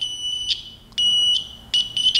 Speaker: if you listen here on camera guys you'll be able to hear this beeper